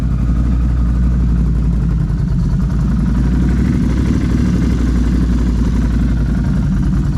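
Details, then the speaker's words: Can-Am Renegade 1000 XXC 4x4 race quad (2019) first start after complete frame swap, dash unplugged: deep, steady V-twin idle rumble with no misfires or clatter; runs normally. "We didn't have that, we didn't plug that in, that dash. All right, so it runs."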